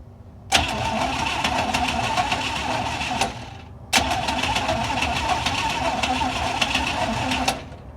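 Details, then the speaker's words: 1956 Cadillac cranked on a new battery with the distributor power wire removed so it can't start: two strong, fast, even cranking bursts of about three seconds each. Normal cranking. "See, this is what it should sound like. Well, you can't even hear the crank."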